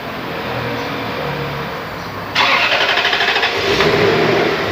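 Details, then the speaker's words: Toyota 1UZ VVT-i V8 with electronic throttle, after repair of stumbling/shaking and battery disconnect ECU reset: starts cleanly after two seconds, then smooth, even idle, running steady about five minutes without stalling. "ตอนนี้เราสตาร์ทวันทิ้งไว้ประมาณสัก5นาทีแล้วนะเครื่องยนต์ไม่มีดับลงไปเองนะครับนิ่งมากเลย"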